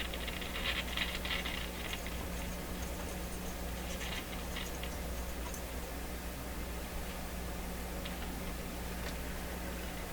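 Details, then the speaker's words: Stewart Warner R514 tube radio mid-restoration, after its power-supply capacitors were replaced: no station audio, just a low mains hum, faint hiss and scratchy crackles. A leaky capacitor upsetting the output tube's grid bias is suspected, and more capacitors will be replaced. "i'm not going to turn much with this anymore am i there we are nada not a thing scratchy"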